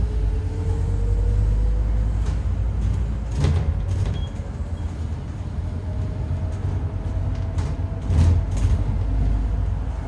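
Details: 2008 Euro 4 Alexander Dennis Enviro 400 bodied Scania N230UD bus under way: faint tone rising and falling with road speed over low diesel drone; suspected dodgy bearing or worn tyres, not confirmed.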